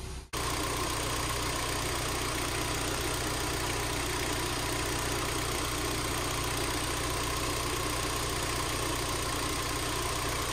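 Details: 2011 Hyundai Tucson at idle with Max A/C after fixing a non-engaging compressor clutch and charging the system. Constant blower rush and faint steady compressor hum; the air feels cold, so A/C works normally.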